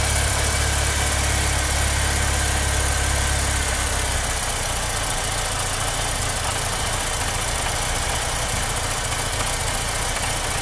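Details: BMW E30 M42 four-cylinder petrol rough idle, wavering uneven hum; cause not found despite new TPS, changed AFM, different ICV, cleaned injectors and new vacuum hoses.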